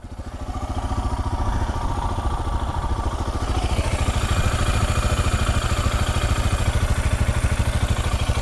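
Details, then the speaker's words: Royal Enfield Himalayan single-cylinder at 35,000 km idling with a steady, even thump of about three beats a second; no ticking or clatter on top, and a clean, healthy exhaust note. "keep getting these messages on how is it that my engine sounds like this when everybody's engine is clicking and cluttering and all sorts of that's the exhaust note as clean and as nice as that"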